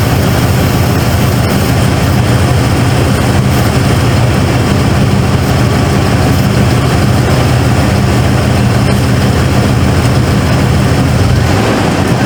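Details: 1995 Ford F-150 V8 barn find, long sat and previously missing, boosted after dead battery: deep steady V8 rumble with even rhythm, no misses after initial stumble; suspected carbon buildup, now running smoothly.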